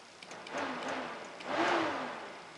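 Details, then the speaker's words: 2001 Honda 450 ES Foreman ATV with a failing cooling fan: flexing the fan control module makes the fan whoosh on and off and relays click inside; bad internal connection in the potted module. "fan kicks on and off. So I'm pushing right there. I hear the relays inside this thing clicking too. So it's just a bad connection inside this module."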